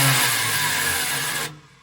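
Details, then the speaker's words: Vintage motorhome's 440 big-block V8 after a fuel injection conversion: high whirring spin for about a second and a half, engine never catches; starter not throwing the Bendix drive forward to mesh with the flywheel. "Yep. It's not kicking the Bendix forward. Great. Great."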